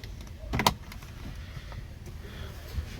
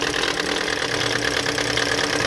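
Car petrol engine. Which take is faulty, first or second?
second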